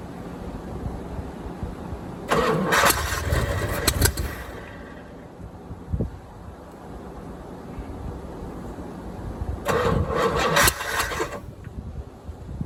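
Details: 1987 C4 Corvette with the TPI removed and a marine carburetor fitted, fuel bottle-fed: two rounds of cranking catch briefly and stumble, with one sharp backfire pop between them; the owner thinks ignition timing is off and needs readjusting.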